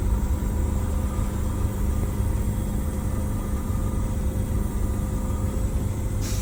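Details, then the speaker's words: Detroit Diesel bus after blower replacement and an injector-timing tune-up, accelerating toward 45 mph under load. A steady, even diesel rumble with no knock; it runs smoother with no vibration and much less smoke. "yeah does it feel smoother too with the timing you don't feel a vibration or you didn't notice it before really no vibration it just smoke"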